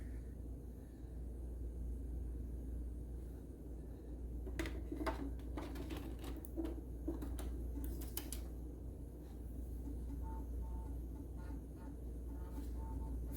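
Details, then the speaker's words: Macintosh Plus (an upgraded early Mac, M0001) at first power-up after recapping the motherboard and analog board, with the faulty floppy drive replaced: a quiet hum with short bursts of head-seek ticking. It boots normally with video. "first power up after the recap fingers crossed all right well that sounds good getting video"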